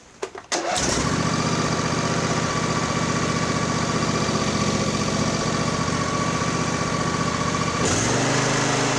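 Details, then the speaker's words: Craftsman YTS4000 riding mower bought for resale, with new spark plugs, dark dirty oil and a wrong zip-tied fuel filter, starting: catches within half a second, then a steady even idle with no misses or knocks; healthy. "one's beautiful runs really good so i'm gonna lift it up"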